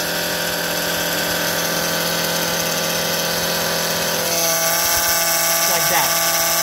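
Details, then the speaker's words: 2005 Honda Odyssey idling with fluid level fine: loud steady moaning whine from the failing power steering pump, rising and shifting as the wheel is turned left or right; pump was then replaced. "you hear that morning sound it's a big wine this is the power steering pump right here this one and when you turn left or right it is steering it gets worse usually"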